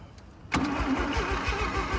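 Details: 1985 Mazda RX7 rotary sitting 30 years, fuel pump now running, fuel sprayed into the intake, in neutral with the throttle opened: starter cranks in quick even pulses about seven a second, trying to catch on the sprayed fuel.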